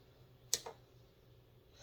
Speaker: same thing with this one it'll always hit that torque